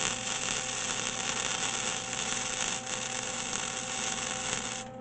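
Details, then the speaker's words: MIG welder with wire speed set at 2 after spitting at 2.5–3: steady even crackle like frying bacon, no popping or sputter; bead laying smoothly, setting suits this metal. "that's that's all smooth perfect I'm gonna crank it down to one hand just to make a pass right aside I think two is our spot for this metal"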